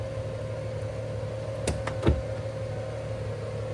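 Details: 1998 Ford Mustang convertible, sat 10 years, emergency brake on as required: steady even power top motor hum with a couple of light clicks, no straining or grinding; top working normally.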